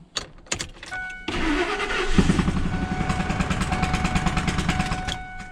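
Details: Ford Triton 4.6L/5.4L/6.8L idling after it catches, with a plug kicked out at an angle. A fast, sharp puffing tick rides each firing as air escapes: a blown-out spark plug.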